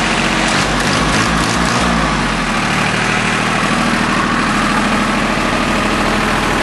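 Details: Small three-cylinder Yanmar diesel just restarted after bleeding air from the fuel filter and injector lines: early unevenness, then steady even clatter without stumbling or hunting; normal idle.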